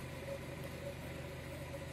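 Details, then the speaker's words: 2000 Honda Prelude SH (H22), idling low and steady with an even hum and no check engine light after the surging-idle problem was fixed. "I am excited to see this no check engine lights low idle going back to normal"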